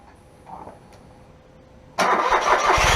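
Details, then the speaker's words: Smart ForTwo 451 Brabus after welding in a new flex pipe and new gasket to fix an exhaust leak: starter turns briefly, engine fires promptly into steady idle, sporty exhaust, no puffing or ticking. "so like i say this is a brabus exhaust um so it should sound a little bit more sporty i'm sure you can tell from that clip"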